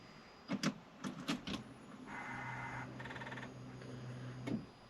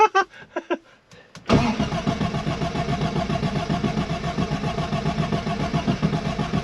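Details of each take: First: Arden 8-port engine after injector cleaning, battery connected and ignition on: clicks then steady low buzz about two seconds as fuel pump primes normally, with fuel heard returning to tank; a fuel leak was found afterward. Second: Arden 8 Port car whose cylinder 3 kept flooding, after injector cleaning and with a fuel leak noticed: steady rhythmic starter churning, but the engine never catches or fires, cranking without starting.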